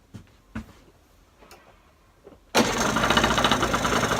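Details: Genuine Scooters Roughhouse RH50 two-stroke, cold start at 26–30°F after a top-end rebuild (new cylinder, head, piston, rod, bearings, gaskets), not yet broken in, weak battery: a few quiet knocks, then one kick fires it into a steady run.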